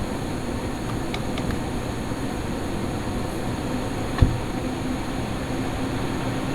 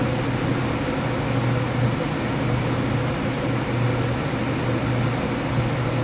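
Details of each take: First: Lian-Li O11D Mini PC with XPG Vento Gentle Typhoon case fans capped at 1900 rpm, after a duct-tape mod, mic position unchanged: steady even fan rush with only a faint hum. The earlier howling is minimized and the fans sound healthy. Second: Lian-Li O11D Mini PC case fans (XPG Vento, curve capped at 1900rpm) ramping up under Cinebench load, microphone by case: loud howling with fixed low hum and thin whistle, air forced through restrictive top-panel slots; quieter when rpm drops.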